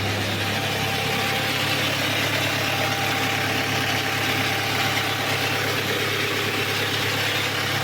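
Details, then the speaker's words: Audi A4 B7 2.0 TDI BLB diesel, 464,000 km, idling: steady hum under a harsh continuous metallic grinding rattle from the oil pan, traced to the problem-prone oil pump with balance shafts. "шум іде із з піддона в піддоні у нас що знаходиться правильно масляний насос із баланср валами проблемний маслонасос"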